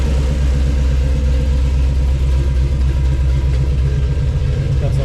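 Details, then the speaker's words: 1962 Ford Falcon with 306 (302 overbored) V8 on Holley Sniper EFI, custom long-tube headers, Flowmaster exhaust; loud deep even burble at idle, steady beat with no misfire or knock — healthy after start-up. "Alright, so now I'm going to start it up for you so you can hear it run. Starts great. Fuel injection is pretty sweet."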